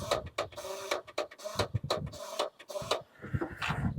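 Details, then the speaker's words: 1973 Ford Courier that sat for 30 years, first start attempt: choppy bursts of high whirring with no engine turning over; starter spins without engaging the flywheel; owner fears the flywheel is stripped. "something happened I hear the starter spinning but it's not engaging and it does not sound good hope the flywheel ain't stripped out"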